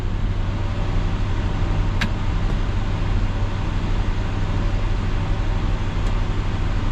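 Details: 1966 Ford Galaxie 500 352 4V V8 warming up in garage after a cold start at 47°F, unstarted over three months, choke still on, heater already blowing warm air; smooth even low rumble, steady beat, no ticks or knocks: normal idle.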